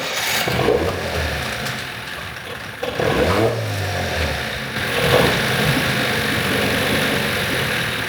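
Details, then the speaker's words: Evinrude 9.9 two-stroke outboard, compression about 100 and 103 PSI, good spark, carburetor cleaned: catches and revs in uneven bursts, speed rising and sagging without settling; rough running, owner suspects mixture and idle set screws need adjusting. "All right, she definitely sounds like she wants to go. I'm very confident in my carburetor cleaning job, so the issue is probably just that I need to adjust some of the set screws."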